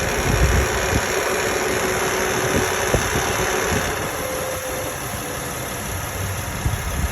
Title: Honda Odyssey 2008 EX engine noise after changing timing belt